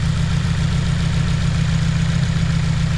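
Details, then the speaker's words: 2016 Subaru WRX, Copart auction car, turbo replaced over suspected seal smoke, mass air flow sensor now plugged in: smooth, steady low idle with no hiss, stumble or miss; the engine sounds good, smoke still being watched. "Mass air flow sensor is plugged up. The engine actually sounds good."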